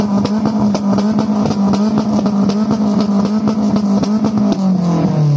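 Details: Ford Sierra revving hard: sharp, rapid pops and cracks fire from the exhaust about every quarter second. Exhaust backfire.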